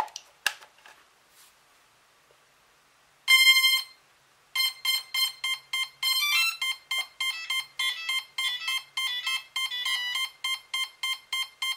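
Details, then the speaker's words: Cheerson CX-20 quadcopter powered up: one motor's ESC beeps continuously, about three times a second, and that motor never arms while the other three spin up; the ESC board is faulty and needs replacing. "all right this one right here is continuing to [Laughter] [Music] beep and all these are fine"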